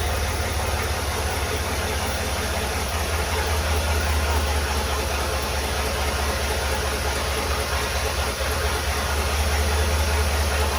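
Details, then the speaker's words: 1964 Willys Jeep CJ5 with swapped-in Chevy 4.3L V6, first start: lumpy, uneven idle with irregular beat and rattle; timing adjusted by ear without timing light. Cause suspected, not confirmed. "Well, it worked, it runs. That's pretty exciting. I played with the timing just a little bit there to try to make it run a little better, but my timing light wasn't hooked up."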